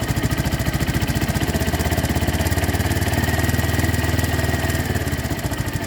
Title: Ticking noise.